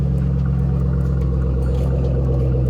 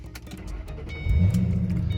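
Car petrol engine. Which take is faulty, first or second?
first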